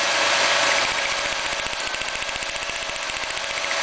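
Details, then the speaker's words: GM 3300 (3.3 L) V6 distributorless ignition, engine idling, one coil pack lifted boot off to test; fast regular snapping clicks about four a second over hissy idle mean the coil is firing; normal spark, good coil. "you lift off each boot from the coil pack like this you hear it clicking that means uh the coil is firing"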